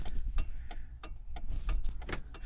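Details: 1998 Jeep Cherokee XJ during electrical fault tracing; hazards supposedly on the same circuit as the defogger: sharp, evenly spaced clicks about three a second; hazard flasher relay clicking normally.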